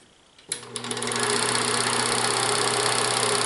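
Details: Bell Howell Autoload 8mm film projector set to Super 8, normal speed, running forward: motor spins up from silence into an even fast clatter of about four ticks a second; projector running normally.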